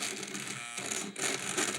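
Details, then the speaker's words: Losi 5IVE-T 2.0 gas RC truck throttle servo, throttle held steady: harsh crunchy buzzing as the servo jolts back and forth; it settles after a minute of warming up, but will be replaced. "It sounds pretty crunchy. I'm going to readjust the camera and let's check that out. Look at that. I'm just holding the throttle down and it's jolting back and forth."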